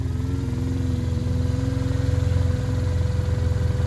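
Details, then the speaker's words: Arctic Cat Norseman with overnight no-start issue, idling after a trail run and a rattle fix: steady, even low thumping idle with no loose-panel rattle; engine runs smoothly though a vibration shake remains. "and that's the shake after going through the 90-acre trail and back so it's still there but there's no rattle anymore"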